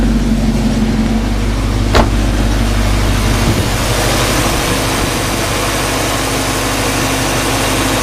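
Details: 1995 Mustang Cobra with suspected knocking: with the A/C on, steady even idle with a low hum and no knock. Owner believes the apparent bearing knock comes from the A/C compressor when its clutch is disengaged. Normal idle.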